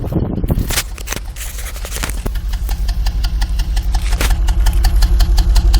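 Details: 1989 Toyota Supra Mk III 7M-GTE single turbo, parked at idle, exhaust recorded: lumpy pulsing exhaust beat, about three thumps a second; cabin vibration, engine shakes slightly on mounts; owner feels like one cylinder misfiring, unconfirmed; rough idle.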